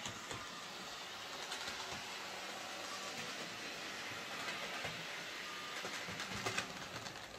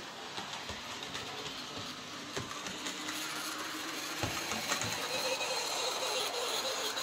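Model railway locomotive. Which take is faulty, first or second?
second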